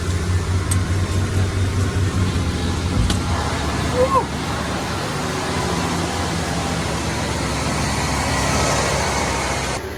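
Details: 1994 Ford F250 after a no-crank no-start repair, with new coil pack, cap, rotor, plug wires and plugs, fires straight up and settles into a steady, even low hum with no misses or stumbles; a clean, healthy idle.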